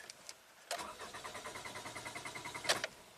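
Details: 2011 Toyota Camry with a replacement ECM and ignition coil A–D primary circuit codes plus P2016: even cranking at about six beats a second for two seconds, never firing; cause not confirmed.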